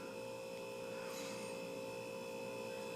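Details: Hunter Original four-blade ceiling fan, c.1991, 1.1 A motor, drained of oil and run too long on high: a steady, unchanging moan with a few fixed tones. The dry motor is moaning on its bearings.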